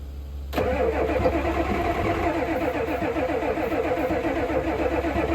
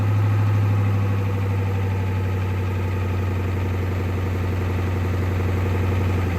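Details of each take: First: 1988 Ford F350 7.3 IDI diesel, sitting since the 1990s, given starting fluid: steady cranking chug about four beats a second never catching; crank no start, fuel in the filter but none at the opened injector line fitting. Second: 1988 Ford F350 7.3 IDI diesel, revived after sitting since the 1990s, with a new fuel filter and fresh diesel fed from a jug by pump: steady, even idle clatter with no stumbles or misses, then switched off. Normal idle.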